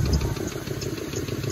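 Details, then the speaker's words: Clapped-out 2004 Ford Mustang GT, after coolant reservoir crack repair: rough idle with quick, regular light knocking over exhaust note; sounds like rod knock, unconfirmed. "nasty what sounds like rod knock still persistent let's get on the road can really hear the knock in here"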